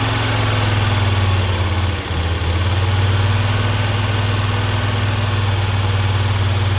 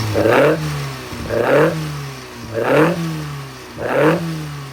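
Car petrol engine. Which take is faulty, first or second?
first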